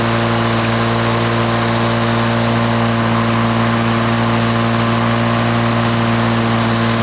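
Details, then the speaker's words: 1980s Lawn-Boy two-stroke mower that wouldn't run after running out of fuel, test-run after service, pull-started: steady high buzzing two-stroke note at even speed, no surging or misfiring; runs 3480 rpm, fine. "RPM she runs 34.80 which is fine"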